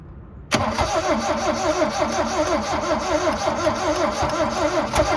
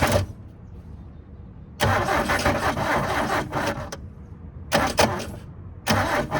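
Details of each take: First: 1972 Toyota Celica, factory 18RC engine, sat in junkyard over 20 years, previously cranked too slowly; new starter just fitted, carb cleaner sprayed: brisk, even rhythmic churn near three compression strokes a second. Normal cranking. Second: 1972 Toyota Celica 18RC, sat 20+ years, fuel poured down the carburetor vent tubes, choke applied: four cranking bursts each catching a second or two then dying; float bowl running dry, needs more fuel.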